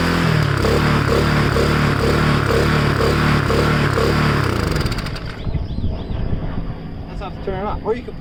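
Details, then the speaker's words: Kohler Courage XT-6 single-cylinder engine on Ariens push mower, just revived, running low on oil: even steady putter about four pulses a second, no knocks or rattles; normal running. "um there's not a lot of oil in it right now so I don't want to get it hot and jack it up anymore um but it runs that's awesome"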